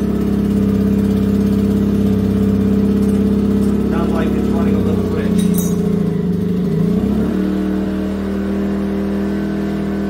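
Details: Yamaha EF2000iS inverter generator converted to propane (tri-fuel kit, drilled-out carburetor), under heat-gun load while tuning: steady drone wavers, dips and settles to a different note as the mixture is leaned, showing it ran a touch rich.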